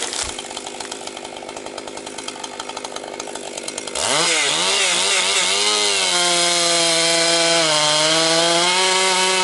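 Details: Husqvarna 262XP two-stroke chainsaw after rebuild, breaking in with compression up: idles with a rattle, then revs and holds a strong, even high pitch through low-grade pine without bogging. Runs healthy.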